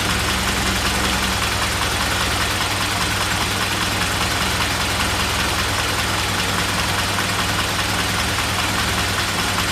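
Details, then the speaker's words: Engine started cold: steady idle with a slightly lumpy beat, but it falls on its face and dies when the throttle is mashed, fine if opened slowly; owner suspects the fuel pump, compression issue also under investigation. "just completely falls on its face when you open up you do it if you do this righto really slowly but if you mash your foot down on throttle it just instantly it just dies so I think it's a fuel pump issue"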